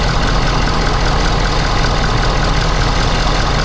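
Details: Ford F-Series 6.7 diesel first start after fuel filter change and priming: loud, steady diesel clatter at an even idle with no stumbling or odd knocks. Engine runs smoothly at rest.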